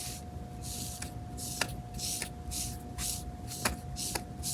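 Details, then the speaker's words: Removed vacuum pump from a 1994-1997 Ford F-250/F-350 7.3 Powerstroke, whose failure hardened the brake pedal and stopped HVAC vents switching: front bearing spun by hand gives repeated gritty, hissing rasps; rough, failing worn bearing. "In this case, the front bearing was starting to fail, which is extremely common on these pumps. You can hear how rough this bearing is as I spin it."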